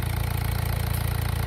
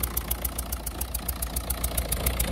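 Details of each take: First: 1.6 HDi diesel idling smoothly with a steady, even low rumble, no misfire or knock; the blue smoke and unstable idle had been traced to a loose injector leaking past its seal, since retightened. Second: Peugeot/Citroën 1.6 HDi diesel idling unevenly with blue smoke, a sharp regular ticking puff about seven times a second from a leaking injector seal; injectors to be removed and seals replaced.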